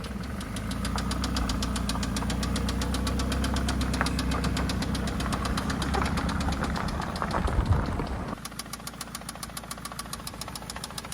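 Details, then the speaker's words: 2004 Toyota Camry at idle after stranding on errands: hard even knock about four per second that cuts out as the engine note drops; owner suspects spun rod bearing or top end. "Alright guys, so it sounds, it's either a spun rod bearing or else getting loose here."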